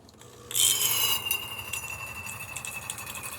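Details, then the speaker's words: Refurbished DeLonghi Magnifica XS espresso machine after pump and grinder replacement and boiler/hydraulic cleaning, hot water function test: steady even hiss of water with no sputter, surging or pump knock; normal hot water dispensing. "nice steady stream from now the one"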